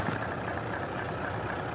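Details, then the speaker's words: Mitsubishi diesel engine at raised idle: sharp, regular tak-tak knock about five a second, still present after the injector nozzles were repaired; injection pump delivery valves being cleaned next. "karena nosel sudah diperbaiki tapi masih ngeletak atau ada ketukan"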